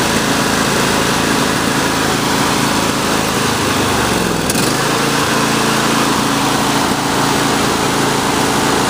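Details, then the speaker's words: John Deere D140 lawn tractor running with a steady high small-engine note broken by sharp exhaust pops and backfiring. Valves suspected even after new spark plugs and draining old stale gasoline; not confirmed. "Give it a couple of seconds, the valves are popping here. Yeah, there it goes. You can hear it backfiring, popping through it."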